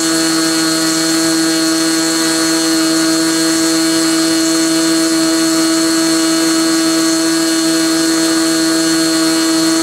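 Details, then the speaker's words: SIG Kadet LT-40 model aircraft engine during break-in, restrained on the ground, with the needle valve at about one and a third turns. Steady, even high-pitched buzz with no surging over ten seconds: normal smooth running, though the owner thinks it may be slightly lean at idle. "after it was running and running smoothly I turned it back on and uh let it run for a while"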